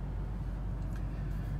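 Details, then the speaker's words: Volvo with crank-no-start, after replacing the failed pump electronic module (PEM), 80-degree day, AC off: low, steady, even rumble with no knocks or misses; engine idling strong, normal idle. "yep so far so good we're back in business and it's idling strong"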